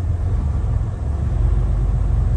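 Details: Diesel truck with 706,000 miles, code SPN 1328 FMI 31 (injector 6): idle stumble evens out at about 1000 rpm; low compression in cylinders 4, 5, 6, improved by valve adjustment.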